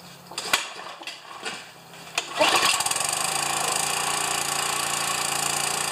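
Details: Pressure washer engine started for the first time since last year, unloader working: a few knocks, then catches and settles into a steady, even running note with no misses or rattles; runs good.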